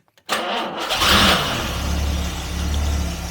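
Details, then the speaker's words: 1968 Jaguar Series 1.5 E-type that sat all winter, cold start on full choke after new parts fitted: fires straight into life after a short crank and settles to a steady, even idle; still wants choke. Normal cold start and idle. "And there we go. Fires straight into life. Bring the choke down a bit. It actually wants it."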